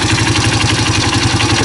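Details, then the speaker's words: Honda CRF230F single-cylinder at idle, clutch lever pulled: fast, even rattling chatter over the thump; clutch chatter at idle. "Hear that? Clutch chatter. Let me bring you down here. You can listen to the clutch. I have a suspicion it's got some chatter."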